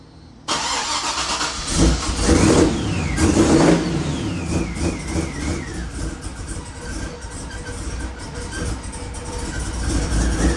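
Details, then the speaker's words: Twin-turbo Chevrolet C10 Suburban V8 with newly installed Chop Monster cam: starter whirs, engine catches and settles into a loping, uneven lumpy idle; choppy idle from the aggressive camshaft. "We put a chop monster in it and uh it sounds pretty sick."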